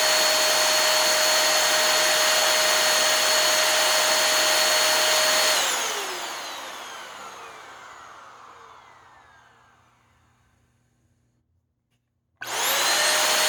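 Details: Hoover Air Steerable vacuum motor, about 5 years old, bench-run after a commutator polish (bearings had been a worry): steady high whine runs clean, then winds down smoothly with no scraping or rattle before restarting; the noise was likely just a dirty commutator.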